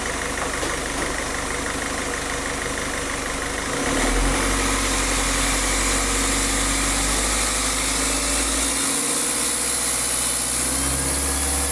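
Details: Diesel car engine after a rough-idle fix for RPM rising and falling at idle, with the fuel system bled of air: steady clatter, even beat about three or four a second, no hunting or surging; idling normally.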